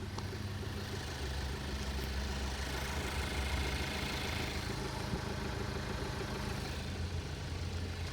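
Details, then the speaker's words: Ford Focus SE, warmed up, idling: steady low drone with an uneven throb, no knock, car shaking; rough idle vibration, owner suspects worn motor mounts. "One concern that I do want to do or like one thing that I do want to change is like her motor mounts because I think that's the reason she's vibrating so much. She's like shaking."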